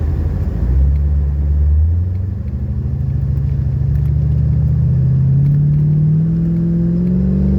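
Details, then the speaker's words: 1985 Chevrolet C4 Corvette after fuel-pump replacement for a starts-then-dies fault: smooth steady idle at 40 psi fuel pressure, then clean, even revving with no stumble or misfire; normal idle and revving. "all right so we're idling at 40. let me give it the gas"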